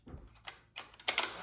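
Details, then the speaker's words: Polaroid 600 camera fired with an empty film cartridge: shutter snap, no flash, then a short whirring motor burst with no print coming out; eject motor cycling on the empty cartridge. "You can hear it's trying to eject film, but the cartridge is empty."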